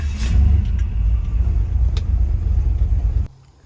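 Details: 1967 turbocharged Chevy C10 after installing a Progression Ignition tunable distributor: deep, steady low rumble with no misses, knocks or ticks for about three seconds before shutdown. Engine runs smooth and healthy; normal running.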